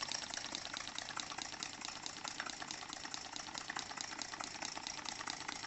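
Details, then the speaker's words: New Stuart D10 twin-cylinder model steam engine run on compressed air at 500 g pressure, better direction of rotation: fast, even exhaust hiss around two per second, air also escaping via drain cocks, no knocks; running smoothly. "elle ne peut que marcher mieux. Vous voyez, elle marche mieux dans ce sens-là, à 500 grammes."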